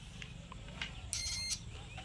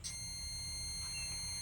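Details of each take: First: Bison LED par light power supply after a 5408 4-amp replacement rectifier diode is fitted: the meter gives a single short beep that stops at once as the capacitor charges, the same in both directions; the diode is not shorted. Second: LED par light power supply (SMPS) with fan 12 V and board 3.3 V rails collapsed: multimeter in buzzer mode beeps steadily across the rectifier diodes in both directions; one or both diodes shorted.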